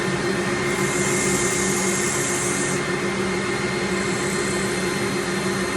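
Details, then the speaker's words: Workshop dust extractor switched on during 80-grit sanding of a small elm bowl (about 14 cm): steady, even roar with constant hum and airy hiss, no surging or rattles; running normally. "can hear me a bit better in the moment when that extractor is on this is taking all the dust straight out so it's it's a bit better for my lungs"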